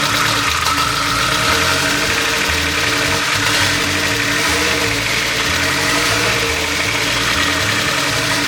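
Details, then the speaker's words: Nissan S15 Silvia with built motor, started and revved with no exhaust fitted: harsh, raw, steady tractor-like roar with rasping crackle and no muffling; idling fine, alternator charging 13.9 V. "I don't think I've ever heard a worse noise than that before. That literally sounds like a tractor. It seems to be idling fine."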